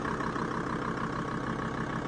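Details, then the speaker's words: Diesel idling steady and even with no misses, hunting or knocks, after PP1 Bosch injector installation, replacement of split vacuum hoses and a mechanical idle adjustment that corrected a previously poor idle. "well as you can hear the idle is now sweet we've adjusted it mechanically we can adjust it in software as well"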